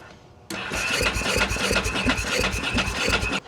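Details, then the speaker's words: 2000/2001 Ducati Monster 900, long sitting, new fuel pump and cleaned tank: starter churns in uneven pulses, about three per second, never catches; ignition seen triggering, unsure whether injectors fire; cranks but no start, cause unconfirmed. "Well, the only other thing we can try is putting a tiny bit of gas down into the actual throttle bodies themselves so that we could see if there's uh if it's if it's actually firing cuz we we saw that it was actually triggering."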